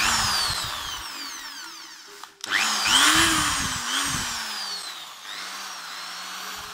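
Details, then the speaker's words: Electric drill after fixing bearing spinning in housing with aluminium/tin shim ring, burnt cord found: winds up, slows and revs again with clean motor whine, no rubbing, scraping or rattle; stator doesn't rub, normal running. "статер не трёт всё чётко так благодаря проводу Мы ещё спасли пока нашу дрель ещё послужит"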